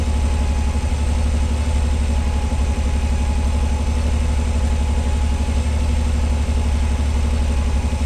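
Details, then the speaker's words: 1986 Pontiac Fiero SE V6, automatic, high idle when cold: 1,220 rpm just after start, slowly coming down while warming up, a steady even low drone. Owner suspects vacuum leak, idle control or sensor issue. "She's idling at 1,220 RPM. And it sounds like it. So, we're going to let her warm up. Looks like she's slowly starting to come down."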